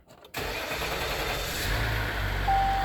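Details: 2019 Ram 3.0 EcoDiesel after 20k/30k service with oil, air, fuel and cabin filters replaced; fuel system primed after the fuel-filter change. Short crank, then it catches and settles into a steady, even idle with no knocks or rattles; oil pressure briefly low at first; normal start.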